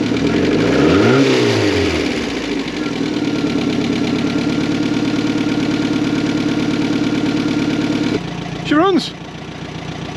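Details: Mk4 Ford Fiesta that had not started in over 4 years, after fitting a new crank sensor and the original coil: engine catches, revs up and back, then settles into a steady even idle; starts and runs normally.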